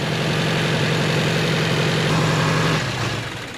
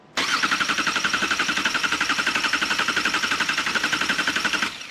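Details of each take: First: 2018 Subaru Crosstrek after junkyard engine swap: uneven, lumpy idle with a wavering low hum that dips and falters; a half-plugged knock sensor set a knock sensor fault. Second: 2018 Subaru Crosstrek freshly installed junkyard engine, first start: cranked in clear flood mode (gas pedal floored before key on, injectors not firing) to build oil pressure; even starter cranking about four pulses a second, never catching.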